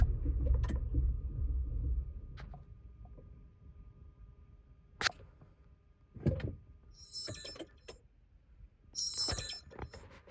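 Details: 2020 Honda Pilot that lost power and shut off 30 seconds after restarting, dash showing many warnings: two seconds of rough low rumble quickly dying, then quiet clicks and chimes. The engine tries to start but won't keep running.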